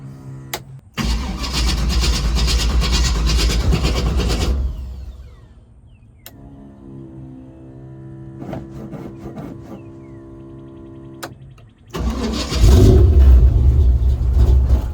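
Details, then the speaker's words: U-Haul race truck V8 just fitted with eight new spark plugs after old ones were bad and engine died 1,500 miles from home, first start-up: quick catch, steady deep rumble with firm throttle blips; runs healthy. "just finished putting all eight new spark plugs in other ones are pretty bad so we're going to start up now and see if she runs"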